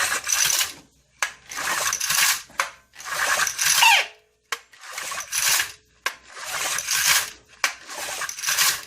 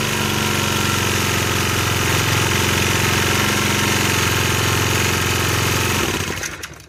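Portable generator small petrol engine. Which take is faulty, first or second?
first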